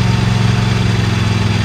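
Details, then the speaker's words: Used Dixie Chopper XG2503 mower, Generac gas engine, while driving forward and reverse: strong, even low engine drone at steady speed, revs up nicely, no knocking or rattle; normal running. "this thing appears to be a good working order motor sounds good"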